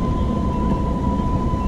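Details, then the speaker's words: DIY electric skateboard with hub motors, in its fastest mode on a steep hill climb: steady mid-pitched whine over a low rolling rumble, noticeably noisy while pulling uphill, and it made the climb. Normal loaded hub motor noise. "alright we cut the yeah this is the fastest mode let's go on steep here Wow gets pretty noisy"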